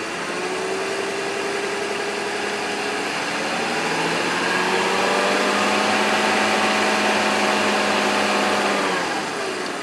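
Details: BMW E46 petrol engine idling, recorded close up, with a rattly, diesel-like ticking running through it.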